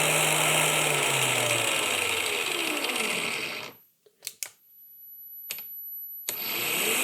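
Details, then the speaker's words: Small DC motor, about 7000 rpm, run from a 12-24 V 30 A LED strip PWM dimmer at low setting: thin, high steady whine from the windings as it slows and restarts, gone at higher speed; PWM whine from motor on LED dimmer. "Tốc độ được điều chỉnh, nhưng cũng nghe thấy tiếng rít này. Đây, tôi đã bật ở mức tối thiểu. Ở đây không đủ dòng điện để quay ở mức tối thiểu. Nhưng có tiếng rít và cuộn dây của chúng ta đang rít."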